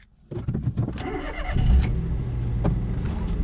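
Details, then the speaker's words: Base-model Citroen C1 bought at online auction, driven since purchase, before test drive: brief crank, catches at once and settles into a steady, even idle with no stumble; normal start. "I love that sound will I go see one fires your brilliant sound why because you always know it's gonna start never got any problems"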